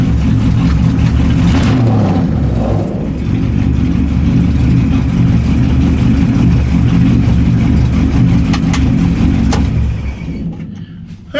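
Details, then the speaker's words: LS1 V8 in a BMW E30 just after fitting an MSD 6014 ignition box, fires right up; revs and idles with an uneven, lumpy, loping beat; rough running, cause not yet found. "everything seems to be running all right it's around a little rough"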